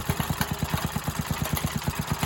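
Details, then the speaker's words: Briggs and Stratton tiller engine revived from non-running: fast thumping near ten per second with uneven pulse strength; uneven, loping idle, owner suspects it sounds cammed. "kind of sounds like she got a cam in her definitely don't like it very much"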